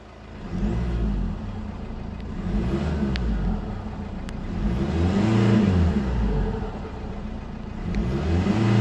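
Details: 2005 Mercedes C220 2.2 CDI 150 hp diesel in limp mode with warning light, capped at 3500 rpm. Repeated hard revs hit a flat cut, then a loose tinny rattle on turbo spool-down. Mornings need two full-throttle attempts to clear it; cause unconfirmed.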